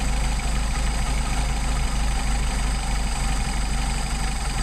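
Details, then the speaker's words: Mercedes 190SL with rebuilt Solex carbs at a low idle, throttle linkage disconnected, adjusting the second carb's idle mixture screw in and out. A low, uneven, loping idle that stumbles more as the mixture is mis-set, before the screw is backed out. "Go back in where we were. Alright. Let's come over here, do this one. Starting to stumble more."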